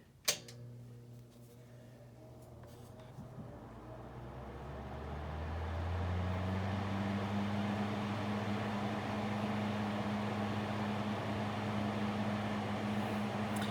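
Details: Small Fasco blower motor after rewiring and reassembly, on high speed (spec 0.85 A, reading slightly above): spins up to an even, steady hum with no ticking, rubbing or wobble; running normally.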